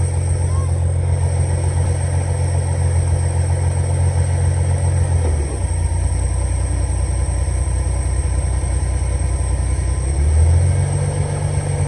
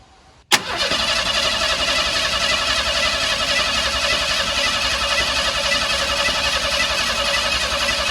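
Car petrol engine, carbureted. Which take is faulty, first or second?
second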